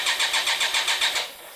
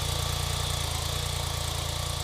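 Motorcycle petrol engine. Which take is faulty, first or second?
first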